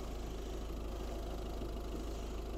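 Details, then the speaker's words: 2013 Ford Grand C-Max Titanium TDCi, 1.6-litre diesel, 6-speed manual, 96,692 miles, just serviced; recorded at the engine bay; soft even diesel idle with regular clatter, no misses or knocks, smooth and healthy. "Nothing to see here, just a big old plastic cover, but you can hear how smooth and how beautiful the engine runs."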